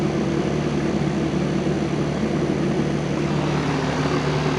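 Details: 1999 Rheem 2.5-ton R22 condenser, cleaned, on a piston coil; 30°F evaporator, 7.4 superheat, no heat load; contactor needs replacing: steady, even fan whoosh with a low compressor hum and no rattles or knocks; running smooth and healthy.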